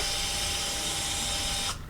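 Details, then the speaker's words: Gen V engine on standalone harness, battery on starter, ECU memory cleared by disconnecting main ground about 10 seconds: steady high whine under two seconds then clean cutoff; normal fuel pump first prime. "And now it primed."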